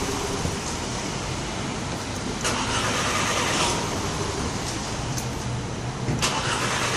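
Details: 2012 VW Eos cranked after running 30 minutes and sitting off for 15 minutes; starter churns steadily for several seconds but the engine never catches. Hot crank no-start, cause still unknown.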